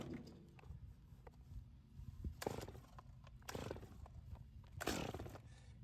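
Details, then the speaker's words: Stihl chainsaw on mixed fuel, held by foot, chain brake on, full choke: three rough pull-cord bursts, the last with a short sputtering pop as it wants to run; the first fire that signals moving to half choke. "so let's get this all the way into the full choke position and we'll give it a couple pulls until we hear it like it wants to"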